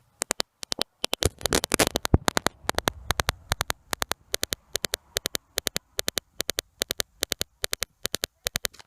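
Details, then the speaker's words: BMW E46 Touring rear parking sensors with a new eBay sensor plugged in: sharp sensor clicks about two per second, unevenly spaced and bunched instead of an even beat; unplugging it or swapping sensor positions made the clicks even. "so that the uneven clicks when i have the new sensor plugged in now i have the new sensor unplugged and you can hear the clicks became even so that should be the even clicks we expect"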